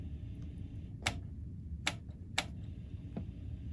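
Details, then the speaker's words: 1986 Pioneer PD-7030LTD CD player, seller says tray doesn't open: quiet mechanism with irregular sharp clicks and faint motor run but no tray movement; tray motor runs but tray does not open, belt suspected. "I hear the motor working, it's not doing nothing."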